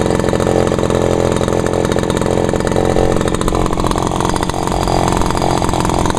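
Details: Vintage Echo PB-400E backpack blower at full throttle, set by the left-side lever: a loud, steady high-pitched two-stroke buzz with rushing air and no misses or surging. Normal full-throttle running.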